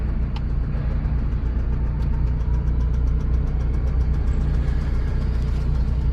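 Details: Lada Priora smoking and knocking: rough idle with an irregular low knock, about three per second, over a heavy low rumble; owner fears imminent engine failure, cause unclear. Engine knock.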